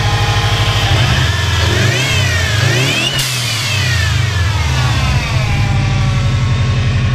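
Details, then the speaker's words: 2005 Saab 9-2X Aero with a 3-inch exhaust, revved. As the throttle snaps shut there is a short, sharp hiss from the blow-off valve, which is venting normally. A whine from the power steering pump, present since purchase, needs that pump replaced. "it was like that when i got the car but you know it's an older car but the blow-off valve works check this out"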